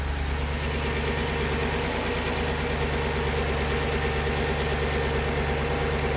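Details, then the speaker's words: Audi C5 RS6 twin-turbo V8, first start after fitting Chinese timing-chain tensioners with empty oil galleries, not yet at temperature: steady even idle, no chain rattle, nice and quiet, no leaks or warning lights. "Perfect. No leaks. Nice and quiet. No engine lights on."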